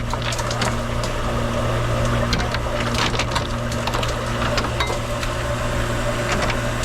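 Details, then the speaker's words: Hoshizaki ice maker after thermal expansion valve (TXV) replacement, evacuation and restart in ice mode: steady hum with scattered clatter of ice dropping into the bin; harvest works normally. "And it's gonna go and do its thing. Dropping. Made something."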